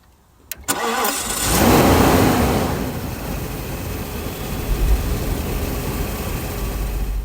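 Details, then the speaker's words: 1990 Mercedes-Benz 500SL R129, microphone in the front grille: brief crank, catches straight away and settles to a steady even idle; normal start. "My only trouble there was getting a grip on the key, not sitting in the driver's seat. So no trouble at all starting the car."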